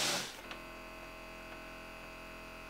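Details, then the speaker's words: Budget massage gun, about 8 mm amplitude, rated 50 dB: quiet steady hum with clean even whine, no knocking or rattle, motor doesn't bog when pressed; healthy normal running. "do you hear how the motor doesn't like die when you press on it that's a good sign so this could last a really long time"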